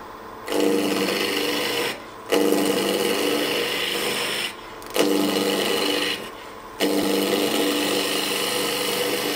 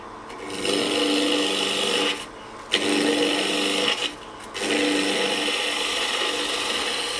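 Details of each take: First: Woodturning spindle work with a gouge, cutting from the high point downhill toward the already-cut void rather than into end grain: an even shearing hiss over several passes with no chatter or catch, a smooth clean cut compared with the rougher earlier pass. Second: Woodturning spindle work on a lathe: harsh, scratchy rasp in repeated passes instead of a clean hiss as the gouge cuts from the middle out into end grain, against the grain, tearing fibres; cutting toward the void sounds smooth.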